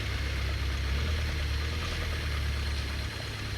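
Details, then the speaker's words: 2002 Pontiac Grand Am SE 2.4, sat a long time, with #2 rod bearing failing: low rumble at crawling speed while backing into garage with a deep, heavy knock that follows engine speed; rod knock. "this is my o2 pontiac grand and that has a very nasty rod knock so we're gonna go ahead and start it up hopefully we don't blow it up pulling it into the garage here"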